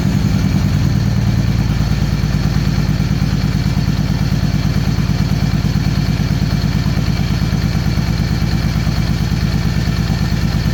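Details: 2013 Victory Cross Country supercharged V-twin after sitting over a year: lumpy loping idle with a heavy uneven thump about three times a second, front cylinder misfiring and cold. The faulty front plug wire fouled the plug; the coil and plugs were also changed.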